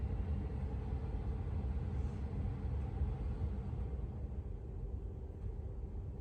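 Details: 2022 Tesla Model 3 rear-wheel drive with heat pump, very warm day, defrost on, heard from outside: low, steady hum and rumble with no knocks or squeals; heat pump running normally.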